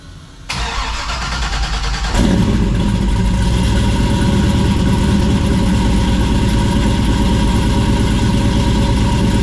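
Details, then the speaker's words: 1967 Camaro with LS V8, new 3-inch exhaust with Flowmaster Super 44s dumped over the axle, no H- or X-pipe: catches and settles into loud, lumpy idle with uneven beat; possibly developing a miss or fouling a plug, tune needs work. Rough idle. "Doesn't sound bad. Sounds like it might be developing a miss. You're trying to foul a plug or something. Probably needs the tune worked on anyway."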